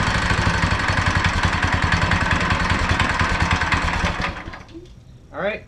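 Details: Go-kart small single-cylinder engine after torque converter and belt installation pops along at an even quick beat for about four seconds before shutting down; runs normally.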